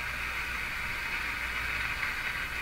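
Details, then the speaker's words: Philco 49-501 Boomerang tube radio on an outdoor antenna, previously working: steady even hiss with no station anywhere on the dial; suspected loss of local oscillator, not confirmed. "see how the radio doesn't change sound at all no matter where I tune it that's a suggestion there's no local oscillator operating anymore"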